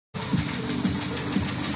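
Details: Skoda Yeti at idle: dull, regular knock about twice a second, a clear internal engine knock; source still unknown, engine being removed and disassembled.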